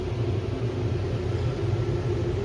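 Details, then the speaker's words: 3-ton AC air handler with a single 12x24 inch return: steady deep rumble of rushing air, loud at the return grille; return considered undersized, fix is adding a second 12x24 return. "We have a 3-ton AC unit in this house, and the return air is only 12 by 24, and it's pretty noisy. I'm not sure if you can hear it on this video, but it's pretty loud."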